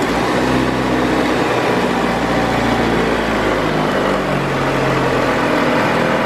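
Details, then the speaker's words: 2002 Kia Optima after replacing a dry-rotted 5/32 vacuum line (P0102 MAF circuit low, previously stalled when put in drive): engine runs up, then settles into a smooth, steady idle by itself without hunting or stumbling; normal idle. "Wow thank us problems the idol is stand by itself"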